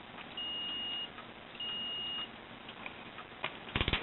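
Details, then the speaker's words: Porter Cable belt sander trigger switch, cleaned out and rivet refitted, checked with multimeter: two clear high beeps under a second each, then handling clicks, showing continuity that was absent before; the switch now conducts. "Now, if you can hear that, that is the sound of continuity, which I had none of before."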